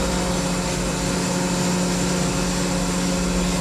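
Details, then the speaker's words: Electric fire pump on emergency generator power after transfer switch test, flowing water at 170-180 psi: steady even hum with constant low tone, no knocks or surging; running smoothly on backup power. "generator has started up transfer switches all up you can see where the light is now we are strictly under emergency power right"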